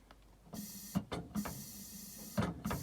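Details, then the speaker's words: Volvo LM225 snowplow tractor with long-standing weak brakes: short bursts of air hiss with soft clunks as the brake chamber tries to apply; the air system runs out of pressure, with the compressor not making or holding enough air. "and then it's out of air. So, it's not it's not pushing enough air. It's not making enough air. It's not holding enough air."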